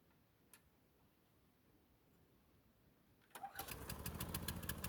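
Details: 1990s Toro GTS 550 rear-drive mower, 5hp Briggs & Stratton 124702, after carburetor cleaning (float bowl full of jelly): quiet lead-in, fires around 3.4 s and settles into a steady even beat; runs cleanly.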